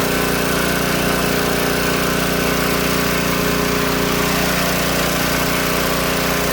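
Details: Old Tecumseh-powered generator revived after years outdoors in rain and snow; steady even drone with constant firing rhythm, no misses or surging; only needs a little carb tuning once warm; outputs 115 V; normal running.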